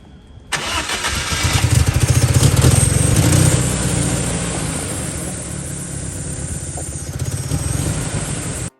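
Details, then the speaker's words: BMW E30 with swapped four-cylinder M43 engine from an E36 cranks, starts and idles unevenly and lumpy; compression leaking into cooling system causing bubbles, middle two cylinders dead despite spark: rough running from blown head gasket. "As you can see guys, the compression of the engine is leaking into the cooling system. That's what's causing all the bubbles and the air escaping through the water. We also have the middle two cylinders are dead."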